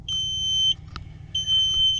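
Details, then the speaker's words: On a newly bought flex-fuel Dodge with backup sensors, at key-in inside the cabin: two long, steady high-pitched beeps evenly spaced; the normal startup chime of the parking sensors. "But it's got backup sensors on it, and they beep for like, oh man, forever. It seems like when you first start it."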